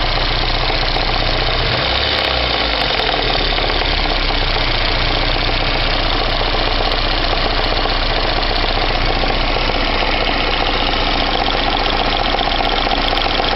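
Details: VAZ 2109 engine at warm idle, fully warmed to operating temperature, knock appeared two days ago and doesn't go away: loud, somewhat uneven tapping near two per second; source unclear.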